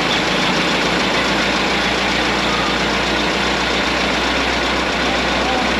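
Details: 1927 White dump truck, first start after sitting 20 years: a steady, even idle with a dense, unbroken rumble and no knocks or misses. It sounds like new with 28 psi oil pressure; normal idle.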